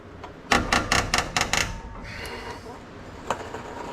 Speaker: All right, I gotta go about half a turn. See, that's the sound you want to hear.